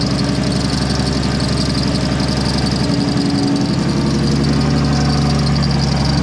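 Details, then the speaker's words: 2JZ-swapped Chevelle after cam timing reset with belt retimed to top dead center, following earlier failure; steady even idle with smooth low hum, no knock or miss; normal idle. "so here it runs again what I changed or what I did I don't know it was a timing thing of some sort but it runs"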